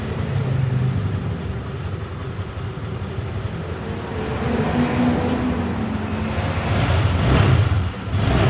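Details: Honda Click 150i single-cylinder scooter, first start after engine rebuild (new connecting rod, piston, rings, wrist pin, head gasket, coolant hose O-rings; original crank bearings): settles into an even putter, picks up cleanly on throttle, no ticking or knocking; running healthy.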